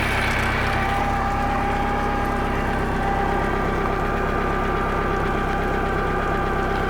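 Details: Bayliner boat engine after no-start fix, timing found 180 degrees out from distributor having been pulled: runs evenly with a smooth low rumble and faint constant tone, no misses or knocks; normal running.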